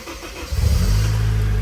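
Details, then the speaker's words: Honda CRX, clutch in and in neutral: short crank, then it starts instantly and settles into an even, deep idle with no misses or rattles; a healthy start. "whoa starts up instantly starts up"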